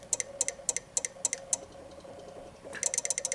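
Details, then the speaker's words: Honda Ruckus (Big Red) with stock battery having blown cells, key on: sharp double relay clicks three to four times a second then faster burst, relays chattering from low voltage; fuel pump silent, starter does nothing. "but you can hear the relays ticking which means they don't have enough juice you can hear them tick tick tick"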